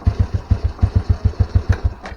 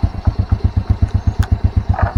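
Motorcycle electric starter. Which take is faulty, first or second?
first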